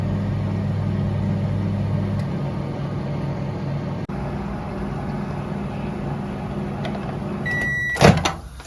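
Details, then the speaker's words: LG microwave running at 560 W for 2 minutes after its 2M213-09B 700 W magnetron was replaced. It gives a steady low hum and fan whir, which is the normal operating sound, and ends with a beep and a door clunk. The magnetron swap fixed the earlier no-heat problem and burnt-plastic smell. "Всё загудело, закрутило. Гудит не гудит, да? То есть обычный звук обычной работы печурки."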